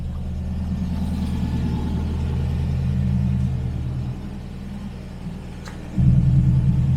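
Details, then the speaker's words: TVR Griffith 500 with Rover V8, after fixing a bad coil wire connection, running before warm-up: deep even burble with steady lope and brief blip; all cylinders firing, healthy idle. "yeah that's a V8 okay we'll let this thing fully warmed up"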